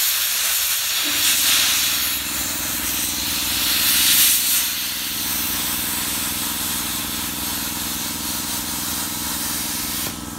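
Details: Redbo ExpertCut 60 plasma cutter tested on site after repair, input diode bridge replaced: strong steady hiss with constant buzzing drone through the cut, ending cleanly; normal plasma cutting, working properly again.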